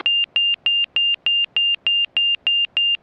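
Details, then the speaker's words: Montaer MC 01 light sport aircraft in slow flight, zero flaps, about 54-55 knots indicated: clean high-pitched regular beeps about three per second, angle-of-attack stall warning. "zero zero flaps okay you'll hear the beeping"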